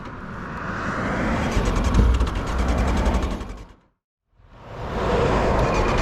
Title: 1999 ZX9 dying, bad fuel pump?